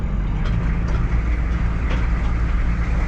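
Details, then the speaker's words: Military M1009 CUCV (Chevy K5 Blazer) diesel revived after over two decades sitting, warmed up after running a while: deep even rumble at steady idle with no knocks or misses; normal idle. "well she's been running for a while and she's running great"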